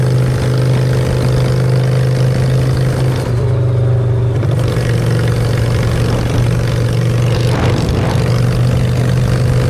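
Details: Honda Shadow V-twin with new custom exhaust pipes, on choke in neutral: deep, steady idle with a brief pitch change as the throttle is blipped, smooth and even with no odd noises; normal idle and revving.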